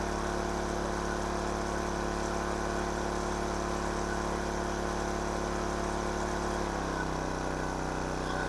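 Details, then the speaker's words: King Canada 1500 W generator, Chinese engine, running a hair dryer between medium and high: fast, steady, high-pitched buzzing drone; overspeed at 76 Hz, governor spring tension needs backing off. "again it's a little high 76 htz see if I can turn it down a little"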